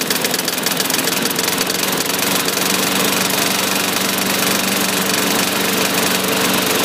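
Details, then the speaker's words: Self-propelled mower engine with fresh oil and a different blade, at steady speed: busy, fast chatter with an irregular knock that has been present since first start and did not go away. Engine knock, cause not pinned down. "we had a little knockage when we first initially started this same thing the knocking didn't go away"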